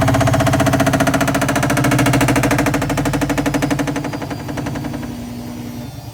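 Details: All-in-one washer dryer combo: harsh, rapid pounding rattle with low hum at spin speed, fading as the drum slows; very loud noise only during spin cycle.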